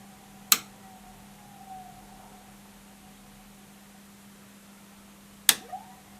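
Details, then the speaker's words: Early Leevers Rich Series Cs vintage reel-to-reel location tape recorder with case closed: steady low even hum from the rotary converter, its normal running sound; brushes possibly worn, neon not lighting, HT or capacitor drain suspected. "it might well be that the digital DC converter here has put some life back into the capacitors enough to make it less miserable for the rotary converter to actually spit up even with a case closed you can still hear it humming"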